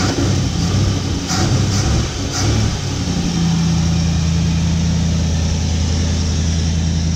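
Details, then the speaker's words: 1955 Chevy pickup V8 running, before timing-light adjustment: a few uneven revs, then a smooth, even low idle with a steady hum, no misses or knocks; runs healthy. "getting a little bit nervous about it because supposedly it was supposed to be a good running motor but I was a lot of trouble to get a motor running but it sounds great"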